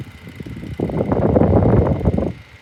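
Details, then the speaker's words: 2002 Woolworths 9-inch desk fan: rough, rattly whirring swells for about a second and a half over a quiet hum; fan motor noisy, cause unclear, still running. "this thing does sound horrible but at least at least it's still going"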